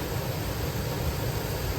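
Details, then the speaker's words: 2004 GMC Yukon V8 after fuel injector replacement for multiple misfires and cylinder 3 misfire: a low, fairly even idle rumble with no obvious miss or stumble. Idle may sound a little better than before. "idle sounds a little better maybe uh that whole bank number three i know was having trouble"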